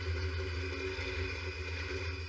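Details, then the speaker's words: 1964 Chevrolet Impala 283 small-block V8, long abandoned with a frozen engine, first start after revival: steady deep idle rumble with no knocking or ticking; sounds great. "This sounds great. It's not knocking."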